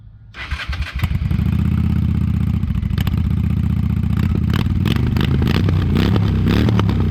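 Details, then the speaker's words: 1998 Honda Shadow 750 ACE during restoration (new tank, new air filter): brief crank then lumpy loping V-twin idle with deep exhaust thump and one blip; runs clean, normal. "I'll give you another little little crank up so you can hear the pipes, but uh that's about it."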